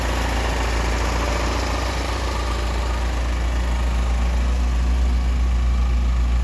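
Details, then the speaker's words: 1988 Lotus Esprit first start after sitting, fuel injectors and plug wires replaced, fuel pumps on separate battery, hot-wired, smoking likely from WD-40 in cylinders: lumpy uneven idle with deep pulse, three or four beats a second; rough idle, air-fuel ratios off. "So the air-fuel ratios are definitely off because I'm"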